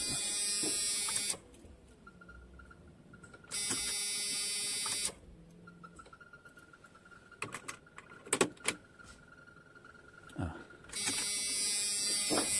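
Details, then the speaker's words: Jeep Cherokee XJ after breakdown, newly installed fuel pump reconnected: a bright, high buzzing whir in bursts of a second or two at steady pitch as the pump primes; normal fuel pump priming. "Donc j'ai rebranché la nouvelle pompe, tout est raccordé. Donc là normalement on doit entendre la pompe tourner."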